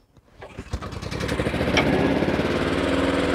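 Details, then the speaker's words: Warm restart of a badly neglected Honda Harmony II HRS216 lawnmower after cable replacement, carburetor service and tune-up: catches within a second after a brief pull, then settles to an even, steady low idle with no misses; fueling well now. "Ở chế độ nhàn rỗi thấp! Tôi nghĩ rằng cô gái già ở đây đang đổ xăng tốt ngay bây giờ."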